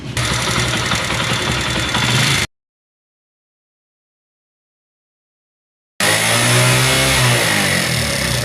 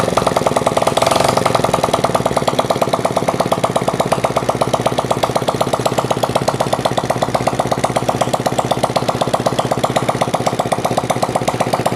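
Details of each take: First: Honda CD70 single-cylinder motorcycle, after timing chain and guides were replaced: busy, rattly top-end valve clatter because oil pump fault leaves no oil reaching the head/tappets; also overheating and stalling. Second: Honda CD70 motorcycle that overheated and stalled, after clearing a clogged oil strainer mesh, tappets adjusted and fresh engine oil: small single-cylinder steady even patter about four beats a second, no knocks or rattles; normal idle.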